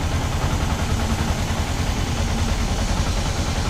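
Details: Yamaha R15 V2 with a misfire and hard-starting problem: the small single idles with an uneven, stumbling low beat, about 150 pulses a minute with irregular gaps. Cause suspected, not confirmed.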